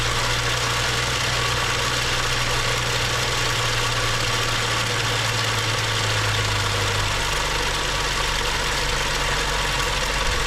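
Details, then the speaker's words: BMW 535xi M Sport with a rebuilt engine knocking after about 2,500 miles, started after a new high-pressure fuel pump and cam follower were fitted, air filter off. Steady idle with a busy metallic rattle throughout, same as before. Top-end rattle; mechanical source not yet found. "hey guys so um we installed a new highpressure fuel pump with the new plunger and we start it back up and we're getting the same type of a rattling sound"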